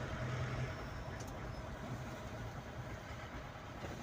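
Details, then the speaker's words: Mahindra Bolero pickup diesel driving after injector work (Delphi injector 28535488) for pickup loss, misfiring and late starting: steady even low drone, no knock, quiet and healthy, yellow warning light now gone. "अब इसमें कोई light नहीं है तो चलने में भी बिल्कुल ओके साइलेंट कर दी है"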